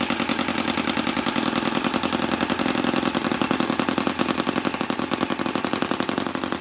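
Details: MUSA Hoglet V2 model motorcycle engine, cold start after a couple of days idle, with a quick choke at about quarter throttle: rapid, even popping beat that holds steady with no misses or knocks; the little twin runs cleanly.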